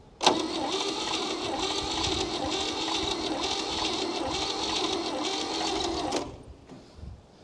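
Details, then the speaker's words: 1962 Chevrolet Biscayne, 235 Blue Flame inline-six, sat in a field since 1969, engine not stuck: about six seconds of even, unlabored starter cranking with no binding; turns over freely, carburetor still gummed up. "cranks over really nice so we just gotta get that carburetor freed up first of all"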